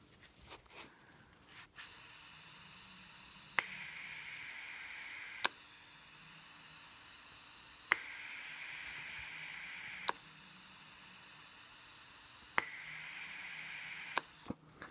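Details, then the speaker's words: 1996–2000 Toyota RAV4 EGR vacuum switching valve (VSV), removed and bench tested with battery power while air is blown through: sharp clicks every couple of seconds with a soft air hiss. The valve switches properly. "You'll be able to feel the air coming out here faintly, but mostly you'll hear that cycling, that clicking."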